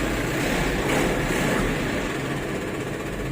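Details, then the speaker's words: Isuzu 4JB1 truck at idle after clutch repair: even diesel rumble with no whine, rattle or grind; the transmission noise is gone. "Mukhang wala nang tunog, mga katsamba. Nakaminor yan, ha. Wala na yung tunog, mga katsamba."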